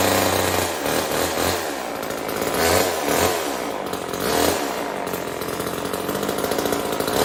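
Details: Old Homelite chainsaw, owner guesses 1960s or 70s, cutting wood after reassembly: two-stroke screams steadily, bogging slightly and recovering in pulses as the chain bites; strong, even cut, runs healthy, owner says tuning could improve it.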